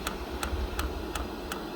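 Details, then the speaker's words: HCalory TC2S diesel heater, new, first use, powered from an EcoFlow drawing about 90-95 W at startup; light even ticks about three per second as the dosing pump primes and a tiny bit of fuel starts coming through, fan air not yet warm. "Just see a tiny bit of fuel starting to come through the pump."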